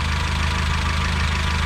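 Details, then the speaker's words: 2007 Honda Civic after replacing the ignition coil on the misfiring cylinder, which had a P0302 code and shaky idle: engine now idles smoothly and evenly with a steady low hum and no misfire stumble. "right now we're gonna go ahead and start it up see if the shaking went away the misfire that it was having"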